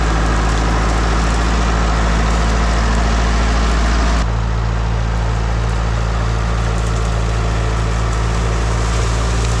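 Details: International 125E power-shift track loader diesel, parked about 10 years, after freeing a seized piston and clearing leaves/mouse nest pulled in: steady, even low chug with slight tone drop, no knocks or misses; runs normally.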